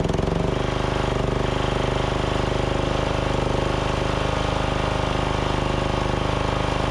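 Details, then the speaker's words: Craftsman DYT4000 riding mower, Briggs & Stratton engine, after fuel pump and deck belt install: single cylinder putters steadily about 210 pulses a minute, fairly even but not perfectly smooth; carburetor still suspected to need work. "i still think that carb needs a little bit of work but you guys can hear it's running a lot better and a lot smoother"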